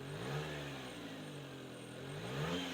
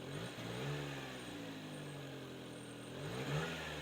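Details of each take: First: Subaru Sambar, after adjusting the carb throttle linkage plate that caused a dead spot and stalling on throttle: quick blips rise and fall cleanly from steady idle; throttle response now smooth. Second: Subaru Sambar, warm, after carb repair cured stalling on throttle: revs rise a touch sluggishly when blipped. Slight remaining throttle hesitation, removed by further carb adjustment.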